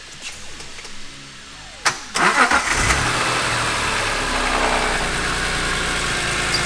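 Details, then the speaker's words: 2002 BMW E46 M3 with a 6-speed manual conversion, after replacing a starter that had burned up and stayed engaged. A quick clean crank catches at once, then a steady, even idle with no whining or burning; healthy start. "all right so the car starts up like a champ no whining noise no burnt"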